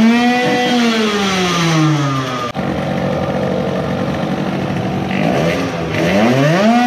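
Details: Modified moped two-stroke on its initial startup after block porting and epoxy work, with high idle and the carburetor leaking fuel at a steep angle. Ragged rev sweeps break up and stutter near the top; lots of sputtering at an estimated 15,000+ rpm.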